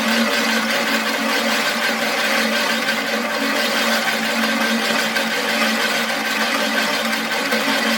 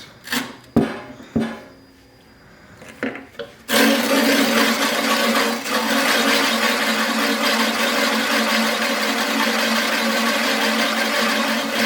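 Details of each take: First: Imported metric reel mower, reel spun by drill during lapping with grit after adjusting the blade closer to the bedknife: an even, steady whirr with no gritty scraping, now running smoother than the earlier gritty sound. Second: Imported metric reel mower, reel driven during lapping with grit compound after bedknife adjustment. Harsh, sandy hiss and rasp as grit bites between reel and bedknife, worked evenly to the ends; normal gritty lapping contact.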